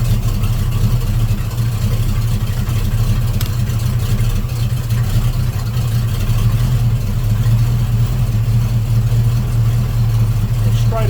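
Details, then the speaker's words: Volvo Penta 454ci V8 boat engine with a new HEI distributor, timing being advanced with a timing light from top dead centre toward about 8°: deep idle whose beat evens out as the revs rise; smoother idle. "you hear that the RPMs come better. Come on up. See how it's smoothed up. sounding smoother."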